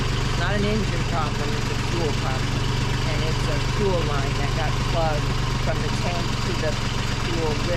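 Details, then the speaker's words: Sailboat diesel running again at idle after a fuel-line problem from tank to lift pump was found and apparently fixed, air still being bled: steady low thump, even and unhurried, over wind and water noise; running normally. "Hey everyone, I did make it to Vernal Beach, as you can hear in the noise. I did get my engine going."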